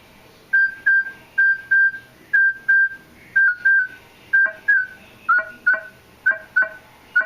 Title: Weird noise on Minelab E-trac when a coin gets farther from coil